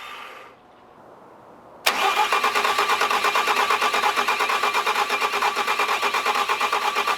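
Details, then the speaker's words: Wrecked Bobcat diesel, after a new fuel pump was fitted and after sitting unused a long time; steady starter cranking at roughly two beats a second that never catches; cranks but won't start, possibly from long disuse. "so the Stute YouTube Watchers probably notice it's a different day and that's because we couldn't get it started last night"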